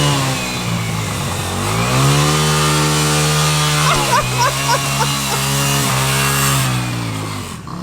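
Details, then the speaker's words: Used motorcycle after a cleaned gas tank, with the clutch pulled in; the engine idles steadily, then a clattery ticking rides over the drone as the gear goes in, and the owner suspects the transmission, possibly no first gear left. "Dude, what's that sound, bro? I think the tranny's a little screwed up on that thing."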